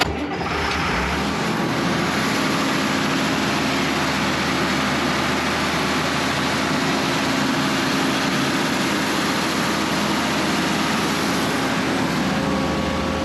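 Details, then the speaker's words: 1965 Allis Chalmers TL645 wheel loader, Allis Chalmers 3500 turbo 6-cylinder diesel, first run after 10+ years and cleaned fuel system with Stanadyne injection pump reinstalled: steady even diesel clatter, no misses or knocks; runs smoothly. "heck yes she's a runner"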